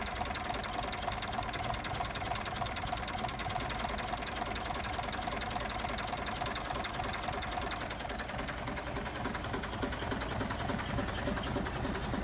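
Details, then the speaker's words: Massey Ferguson 135 Vineyard diesel tractor, first start after standing 18 years, injectors refitted and fuel bled, up to temperature: steady, even clatter at tickover with no misses or hunting; runs nicely. "sweet actually running nicely ticking over nicely"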